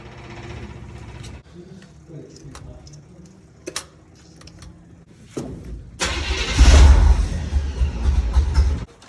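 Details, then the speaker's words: 1954 International pickup just after installing a new ignition switch to replace a faulty one: clicks, then about three seconds of strong even cranking without firing; the starter turns the engine over fine. "See if this thing turns over. Ooh, you hear that?"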